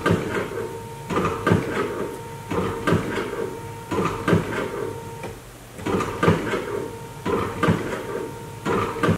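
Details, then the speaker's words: 2014 GMC Terrain wiper motor: electric whir in repeating bursts about every 1.5 seconds with no arm movement; motor works but linkage broke apart, fixed by replacing linkage and reusing motor. "does sound like the motor is functioning properly again it sounds like we have some type of linkage issue"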